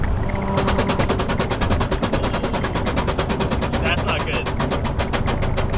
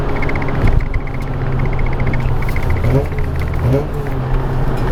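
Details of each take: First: Car on a mountain road run, loose undertray: rapid, steady slapping clatter, several hits a second, over road and engine noise; not the engine, the undertray dragging and beating on the road. Loose undertray hitting road. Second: Mazda RX-8 cruising after the loose undertray was zip-tied back up; steady engine and road drone with no buzz or rattle underneath; normal cruise, rattle was just the undertray.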